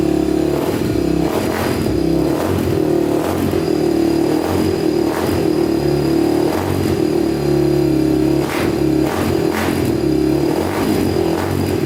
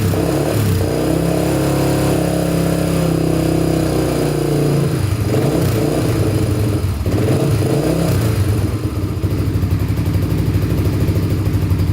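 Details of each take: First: Honda TRX250X quad single on a 120 main jet, blipped repeatedly: revs up and drops back sharply with a crisp, slightly hollow note; sounds lean, so a 135 main and possibly a bigger pilot jet are planned. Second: 1987 Honda TRX250X single-cylinder quad, after rejetting for an aftermarket silencer and freeing a stuck throttle cable: after throttle blips it settles into a steady, even idle; runs clean, normal idle.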